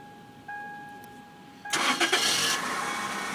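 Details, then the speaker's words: Engine started by a newly installed Viper 4103 remote starter with nobody inside: a steady tone, then the engine catches cleanly and settles into an even idle; the remote start works properly. "Okay. Sound like it start."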